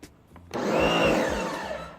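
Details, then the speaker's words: Sun Joe SPX3000 electric pressure washer (14.5 A, 2030 PSI), primed, switched on: a short electric whir spins up, holds about 1.5 seconds, then winds down as the total stop system shuts the pump off normally. "Now you're gonna hear when I cut it on, you're gonna hear like the pump shut on and then cut off."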